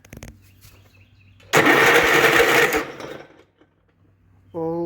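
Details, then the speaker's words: 1967 Gravely 430, one-owner, left outside for years, cranked after cleaning a bad connection: harsh rasping grind for about a second while turning over; owner believes the starter is making the racket and didn't engage right away. "my hope that starter making that awful sound cuz if not we're in trouble but at least now it turns over"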